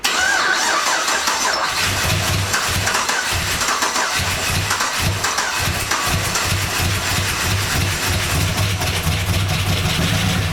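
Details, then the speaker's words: 1999 Holden R8 Clubsport, Gen III LS1 V8, first start after a cam swap, no throttle: catches and settles into a lumpy idle with a dry top-end rattle; oil light stays out, pretty rattly up top, cause unclear. "No oil lights, yeah. No oil lights. Pretty rattly up here."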